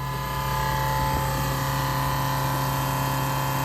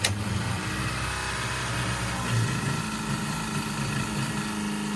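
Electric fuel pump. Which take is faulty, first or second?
second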